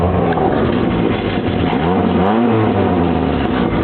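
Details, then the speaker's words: VW Fox with new exhaust parts, cherry bomb muffler and lever-operated cutout, cutout closed: engine revs and settles with smooth, muffled tone, no drone or rasp. Normal quiet exhaust note for freeway driving. "so you don't have this crappy drone while you're going on the freeway."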